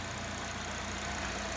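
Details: Normal idle of a 2008 Pontiac G6 2.4L Ecotec after fixing an intermittent P1682 ignition circuit code caused by a loose, spread relay socket; quiet, steady idle under some hiss with an even low pulse, no stumbling or misfire; healthy.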